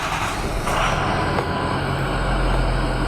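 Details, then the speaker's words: Ford 6.0 liter Powerstroke diesel idling right after fuel injector installation and bleeding air from the high-pressure oil system: steady, even diesel clatter with no misses, smooth on all eight cylinders; normal idle. "good deal it started it's run on all eight cylinders at the moment or certainly feels smooth not a"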